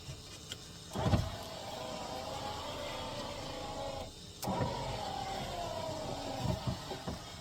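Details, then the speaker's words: C3 Corvette power window after lubricating the dry, rusty regulator, with the engine not running: the motor whirs with its pitch sagging, slowing and tight near the top. With the engine running, the extra alternator power makes it work perfectly. "still tight at the top but when it's running a little bit extra power from the alternator it works perfectly"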